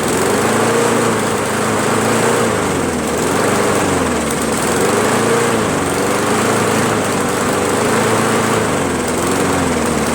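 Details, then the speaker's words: Free Craftsman push mower, 158cc Briggs engine, after carburettor cleaning: engine surges, hunting up and down about every 1.5 seconds instead of holding speed. Ran great at first; cause not confirmed. "I'm a little perplexed as to why it ran so good in the beginning and then now all of a sudden it doesn't run that well you know it's a poor running engine now while it starts"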